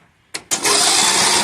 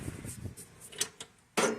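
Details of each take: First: Briggs & Stratton 17.5 HP mower with a new battery, spark plug removed, cranked before valve adjustment; the owner suspects the valves. The starter spins the engine fast and evenly with a light whir and no binding: normal free cranking. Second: Briggs & Stratton 17.5 HP lawn mower engine with a brand-new battery, cranking in short uneven grinding bursts as if the battery were dead, not turning over. Hard cranking from incorrect valve clearance; fixed by adjusting the valves.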